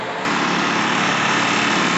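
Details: Generac GP1200i inverter generator (model G0076710) after carburetor cleaning, rebuild and reassembly: small engine holds a steady, even high-pitched buzz with no surging or misfire; running smoothly.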